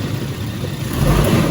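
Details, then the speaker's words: 1997 Toyota Kijang Kapsul SGX engine revved after warm-up: deep, smooth note swelling as revs climb, with no knocking or ticking; the cobra-like sound marks a healthy Kijang engine. "ini suaranya ngobra ya seperti ular kobra itu adalah ciri khas dari sebuah kidang yang masih bagus"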